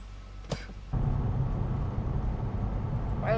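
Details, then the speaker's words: VW Corrado driving after both noisy wheel bearings were replaced with new ones: steady low road rumble, no hum or growl building with speed; the wheel bearings are quiet and healthy. "they don't make any noise which is good."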